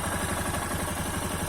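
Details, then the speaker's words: Yamaha XTZ Lander 250 single after repair of the engine noise, which a mechanic blamed on a worn clip in the cam: a steady idle with a light sewing-machine clatter from the top end, normal for this Yamaha engine. "barulho característico dos motores da yamaha isso é é aquele motorzinho o barulho de máquina de costura mas que é resistente o motor"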